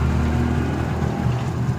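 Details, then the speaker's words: Suzuki Smash 115 after tune-up and oil-leak sealing (sealant on top and exhaust), before warming up to check for leaks: low, smooth, even idle with no ticking or knocking; quiet, normal idle. "So akala na the moment of truth is so yun, nakita niya na yung motor niya, tahimik na. Ayan o. Pakinggan nyo."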